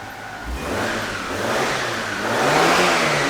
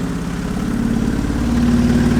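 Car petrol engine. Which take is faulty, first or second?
second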